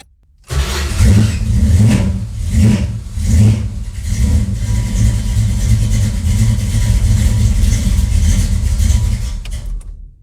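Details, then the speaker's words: 1968 Dodge Dart 340 GT V8: catches with strong low rumble, a few sharp throttle blips, then steady fast idle; no smoke, sounds healthy. "So, it actually does that. It didn't smoke up my garage either, which is healthy."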